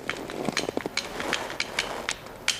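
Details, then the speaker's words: Mazda Miata convertible top latch after installing the posi latch fix screw: sharp, uneven metallic clicks and taps as the latch is worked. It locks but rattles and needs a clasp cushion. "oh yeah well we can hear it there's a rattle to it now little a rattle there"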